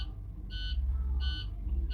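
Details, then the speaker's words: International HD big rig, MaxForce engine, misfire on a couple of cylinders, crank no start, scan shows no ECM communication: with key on, a high dash buzzer beeps about every 0.7 s over a low rumble; continuous warning beeping. "what happens when the keys on on this truck it just keeps beeping like that man so it's going sometimes it takes a while"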